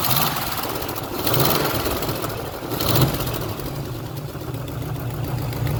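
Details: 1972 Chevy Nova SS clone with a built 355 crate V8, roughly 3,000–4,000 miles on it, heard under the hood at idle: a rapid, even ticking keeping pace with firing over the rumble. This is an exhaust header gasket leak; new gaskets are included.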